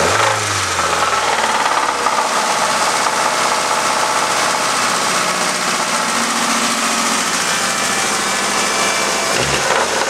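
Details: Ford ZX2 petrol engine running with a hard steady knock over loud clattery mechanical noise; owner suspects rod knock, not confirmed.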